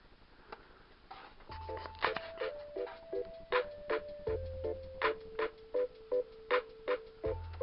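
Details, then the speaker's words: Laptop audio output on battery power (charger unplugged) played through speakers installed in a campervan: clean, crisp music with no hum, hiss or crackle; interference only appears once the laptop is plugged into its charger. "hear that's nice crisp clear music there's no interference coming through that at all whatsoever"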